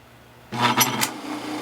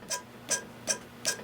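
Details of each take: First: Aqua-Flo Flo-Master XP2E spa pump motor wired to run on 110V for use as a lathe during rebuild: switch-on clunk, then a smooth, steady hum with no grinding or rattle, running normally but slower than usual. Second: Aqua-Flo Flo-Master XP2/XP2E spa pump motor during repair, rear bearing turned by hand: short gritty ticking bursts, about two and a half a second; the bearing is bad, stops instead of spinning freely, and is being replaced.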